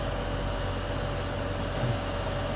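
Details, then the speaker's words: International 1666 combine's Cummins diesel idling just after starting on two new Group 31 batteries: low, steady rumble with an even beat, no misses or knocks; gauges look good, engine running healthy. "That's a Cummins for you. Gauges look good. Give it a minute here."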